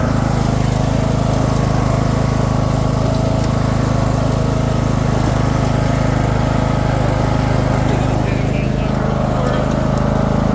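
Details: Craftsman II lawn tractor with a swapped-in, much newer single-cylinder engine and a bad key switch: steady, even drone at constant speed with no misses or stumbles; normal running.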